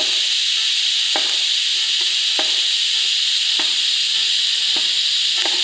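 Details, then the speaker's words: ARCCAPTAIN 200P AC/DC TIG on a cheap, likely coated offshore scrap flange, no heat sink: arc strikes fast and clean, steady frying hiss, few faint ticks, no popping or sputter; stable DC TIG arc. "So I tried a couple passes before it was all right. The arc strikes very fast and it is very clean."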